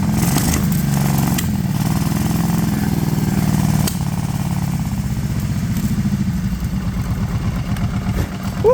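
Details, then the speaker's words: Kawasaki Prairie 650 ATV sat eight years, fuel tank flushed, carb refitted, primed and choked, needing a little prime and throttle: single-cylinder thump settles into a steady low even idle; running properly. "even idles had to give a little Prime there and some throttle but it's"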